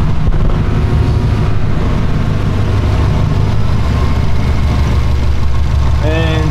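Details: Flat-four idling just after COBB flex fuel sensor install and fuel pump priming: steady, even burble at idle with no stumbles, ticks or surging; normal idle.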